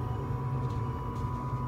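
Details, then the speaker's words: Rheem 80% 75,000 BTU gas furnace just after ignition: soft steady burner roar with faint constant hum, blower not yet on while the heat exchanger warms up; flame burns evenly, normal operation. "it's not going to turn that fan on for a few more seconds because it's going to allow that heat exchanger to warm up before it turns that fan on."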